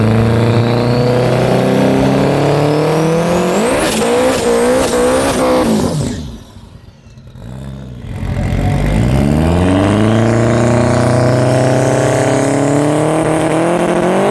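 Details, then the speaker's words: Turbo KE10 drag car at the strip, launch setting raised from 52 to 54 after a 9.0 pass. The hard-revving engine briefly drops out and stumbles, then pulls again: a mild misfire under load. "You can hear a bit of a misfire."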